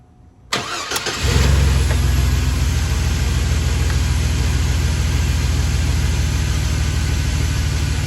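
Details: Chevrolet S10 ZR2 4.3 V6 after idler pulley replacement (torqued to 37 ft-lb) and belt reinstalled: quick crank, clean catch, smooth even idle with no belt squeal or chirp; sounds healthy.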